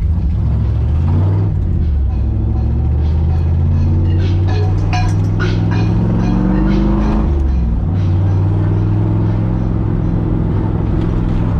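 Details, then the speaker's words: 1987 Toyota Supra with a known exhaust leak, driving: loud rough drone rising and falling with acceleration, harsh ticking under load; sounds more like rod knock than exhaust leak, owner hopes it's only the leak; unconfirmed. "it sounds so bad it sounds like it's a rod knock more than it's an exhaust leak but i do know that the exhaust is leaking"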